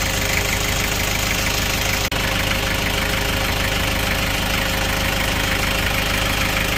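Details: Kia Bongo Frontier 3.0 JT diesel knocking hard and regularly, about three per second, throughout idle; engine also overheats (no shroud), low power, black smoke, bad injector calibration; general overhaul due, knock cause not identified.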